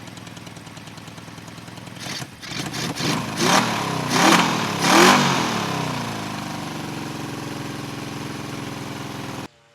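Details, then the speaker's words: 1974 Honda CB350F four after clearing a blockage in the third carburetor: catches, blips, then settles into a smooth fast idle of about 1200–1300 rpm on all four cylinders. Normal idle. "I mean it sounds like more it sounds like it's fast idling at 13 1200 right now no problem"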